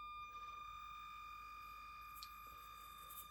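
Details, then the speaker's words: Redcat Ascent32 nano crawler at slow crawl speed: thin steady high-pitched whine from the ESC/receiver with little else audible; jerky, hard-to-control low-speed modulation; noticeable, noisy ESC whine. "Well, man, that wine from the ESC receiver, it's noticeable. I'll say that. It's pretty noisy. Pretty high pitched."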